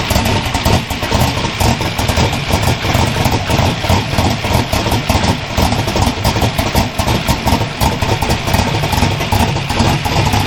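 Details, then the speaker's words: Twin GT45 turbo 468 big block with AFR 305 heads, 4500 Dominator throttle body and Holley EFI, first start after rebuild, tuning not dialed in: loud lumpy uneven idle with clatter over deep rumble, smoking unburnt fuel, running very rich. "So, that's all unburnt fuel. It smells like raw fuel. It's running rich as can be."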